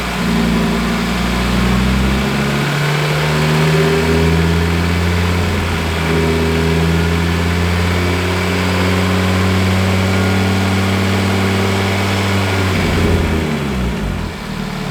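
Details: Audi RS3 DAZA five-cylinder with DSG at warm idle on first start, 80 degrees on top hose; smooth, even burble with steady low note and brief dip near the end, normal healthy warm idle.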